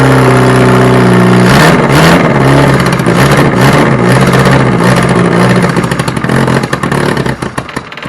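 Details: Reliant Robin on its first start attempt, once fuel has been added. Cranking whirr, then it catches and fires, revs rising and falling unevenly for several seconds; the engine starts and runs.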